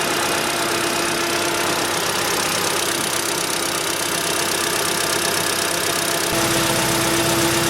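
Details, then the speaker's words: Cold engine at only 10°C, 58,559 km, steady even idle with constant hum and no knocking or ticking; owner reports hydraulic lifter knock appears only when hot. Normal cold idle. "появился стук гидрокомпенсаторов на горячую так как сейчас двигатель холодный работает без каких-либо посторонних шумов"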